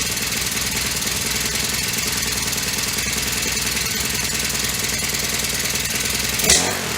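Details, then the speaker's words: Honda FG100 mini tiller single-cylinder after setting the valves: running fast and steady with even rapid beat, no knock or clatter; much quieter than before the valve adjustment. "starting to like this a little better much quieter than it was yesterday when it had no valve"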